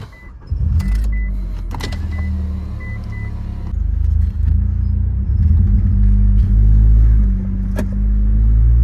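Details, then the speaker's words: 2004 Mitsubishi Eclipse GS 2.4 with cylinder 2 misfire, while driving under acceleration: lumpy, uneven note with brief sag, still bogging down; cause not confirmed, header gasket also needs replacing. "still bogging down a little bit if you can hear it. Hear it bogging down."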